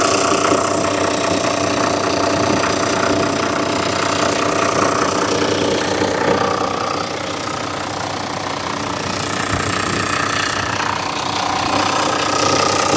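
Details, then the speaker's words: 2000 Toyota Land Cruiser VX100, idling just after start-up: a steady, even idle with a faint turbo whistle on top, running smoothly. Normal, healthy idle. "Buat mendengarkan suara gurih mesinnya kayak apa, pengen tahu? Kita langsung starter agar teman-teman bisa lebih dekat dengan suara kegurihan dari mobil mesin Land Cruiser ini."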